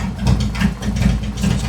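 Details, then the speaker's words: Post-repair idle: 2018 Harley-Davidson Road Glide, Milwaukee-Eight 114, Cycle-Rama CR480MT cam, re-mapped ThunderMax ECM, still warming up. Previously ran hot with bad mileage. Effortless, quiet, even loping V-twin beat, no stumbling or hunting; healthy idle. "Listen how effortlessly this bike is running. It's not struggling to idle. Engine is really, really quiet. Just sitting there spinning around."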